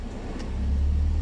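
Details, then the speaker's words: Old Toyota Vios at idle after A/C idle-up retune (before, A/C on dropped idle to 400–500 rpm, shaking, near stall): A/C switched on, rpm lifts to about 1,000 then holds near 900, steady and even; idle-up working. "ตอนนี้รอบดีดขึ้นนะครับประมาณเลข1แล้วก็ลงมาประมาณ900ครับตอนนี้คือแอร์ตัดต่อแล้วครับ"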